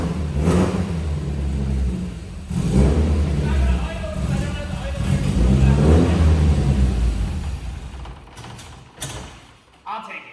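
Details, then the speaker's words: 1992 Nissan 240sx (S13), running for the first time in about two years: engine revs up and falls back a few times with a smooth, even note and no knocks or misses; runs healthy. "I haven't heard this thing run in like 2 years. Oh my God, I'm so excited. It sounds good. Oh, dude. It's running."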